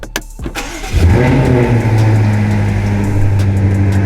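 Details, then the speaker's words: BMW F90 M5 just after DIY oil change: starter whirr, quick catch and strong rev flare settling into firm even high idle; clean cold start, oil level to be checked in iDrive once warm. "Okay, now that we finished the oil change, we're gonna start her up."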